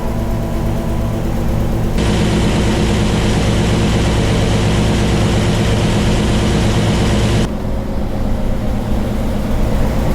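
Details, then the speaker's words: 1967 Ford 427 at idle on the dyno, valve covers on, good oil pressure: deep steady idle with busy uneven ticking about three beats a second from one side; noisy lifters or rockers suspected, may need time to fill. "This one's much noisier. The other side is much quieter. This side's noisy, but I'm gonna let it work a while."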